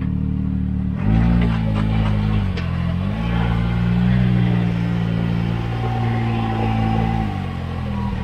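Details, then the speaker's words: Can-Am Maverick X3 on test drive after being flashed back to the stock tune: engine drone stumbles and pulses unevenly through the revs instead of pulling smoothly; cylinder misfire still present, cause not yet confirmed. "let's see if it runs and if it runs okay it was running and he just kept misfire okay buckle up for safety would you be able to tell yeah"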